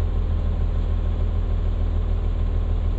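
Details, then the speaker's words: Diesel started after about four hours sitting, after a mechanic worked on a fuel air leak: deep, steady thrum at idle with a regular even beat, no hunting or misfire; idles smoothly. "it even sounds nicer. I mean, don't that just sound sexy?"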